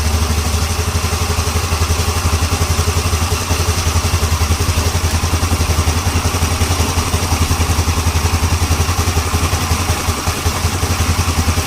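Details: Yamaha Ego LC scooter idling with a steady low thump, even and free of knock or rattle: normal idle.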